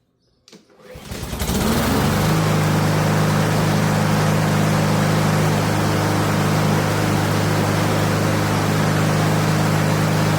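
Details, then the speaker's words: Honda lawn mower right after a brand-new carburetor was fitted. It starts on the first pull and holds a steady, even drone without surging. Running normally. "All right, as you can see, it started right up."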